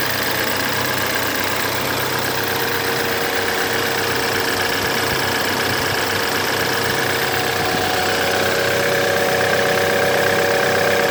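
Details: 2011 BMW F10 with N20B20 engine at idle: busy, regular metallic rattle about four per second, timing chain noise recorded before chain replacement.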